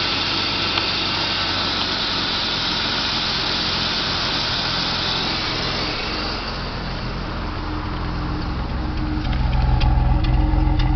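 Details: BMW 323i E36 M52 petrol at idle, worse when cold: uneven, lumpy misfiring beat, about three to four pulses a second, shaking and power loss; plugs, CCV, fuel filter, pump, two injectors replaced; cause was faulty MAF sensor.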